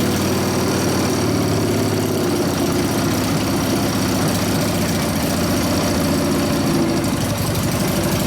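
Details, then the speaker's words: 1999 Harley 80ci Evo rigid-frame bike, running after low-speed jet raised to 29.5, pipe warming up: loose lumpy V-twin idle with beats that hunt and drift; idle mixture first wanted very rich, then not. Owner suspects dirty carburetor cleaning itself out. "All right, so the idle mixture wanted to be real fat, and then it got really, didn't want it. So I think the carburetor's full of crap and it's cleaning itself out right now."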